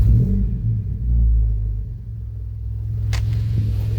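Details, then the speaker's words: Volvo engine idling with a steady, deep low rumble and no obvious knocks or misses; idles really well, though a bad bearing and a light ticking noise are noted elsewhere. "Idling really good, actually."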